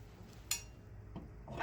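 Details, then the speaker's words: 2004 Cavalier with turbo, no tune, just after its first drive in four years: quiet with a few sharp scattered metallic ticks as the hot exhaust cools after shutdown; normal cooling noise. "you hear the exhaust cooling off"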